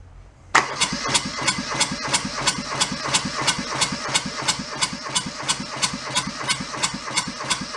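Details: Junked small Kubota diesel saved from a scrapyard, throttle fully open: steady mechanical chugging about three beats a second that never catches; cranks but won't start. Air in the fuel supply hose suspected, not confirmed.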